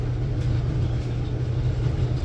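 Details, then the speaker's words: Electrolux dryer running after cleaning the clogged blower fan through the lint trap opening: steady low hum and rumble, no banging, knocking or jumping; normal dryer operation. "Let's just see if this thing stops making that crazy noise now. [snorts] There we go. It sounds normal."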